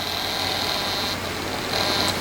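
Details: 1996 Monorail 7245 all-in-one desktop after returning from standby via standby switch: steady low hum with a thin high-pitched buzz over a hiss, unchanging throughout; speakers noisy and need work.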